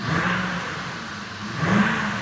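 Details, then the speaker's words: Cadillac DTS after sitting for years, coolant just refilled, on lift: fires right up, smooth rise and settle through a quick blip with no knocks or rattles. "see what she sounds like yeah head that key going in oh fired right up perfect"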